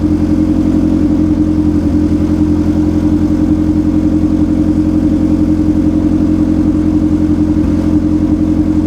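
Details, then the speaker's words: 1991 EF Honda Civic idling after rear main seal and oil pan gasket replacement: steady petrol idle with a light tinny rattle on each firing pulse from the loose front radiator support, not the engine. "this uh front radio support rattles so to make you think that there's something"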